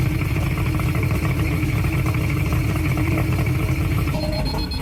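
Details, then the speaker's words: Mercury two-stroke oil-injected outboard idling on water muffs after an oil reservoir cap replacement: continuous high warning tone over a steady idle. The low-oil alarm kept beeping, and the reservoir possibly needed topping off with two-cycle oil. "Still beeping. This is half a turn, so let's see if that's right. Hasn't stopped beeping yet, so let's check and see if the reservoir is even filling up."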